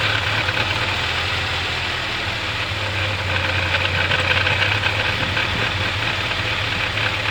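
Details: Mercedes 200TE with rough, uneven idle and a loose, irregular clatter about four beats a second over the engine; car sometimes stalls when shifted into reverse or drive; cause of the rough idle and clatter not yet found.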